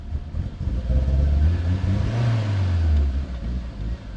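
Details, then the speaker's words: Escort Cosworth on an EMU ECU base map with 1000cc injectors, warming up to temperature: a low, lumpy idle that swells and sags without settling and will not hold without throttle. Owner suspects cold-start or ignition-angle settings. Rough idle. "the engine is quiet and smooth. However, it won't um it won't hold an idle for me."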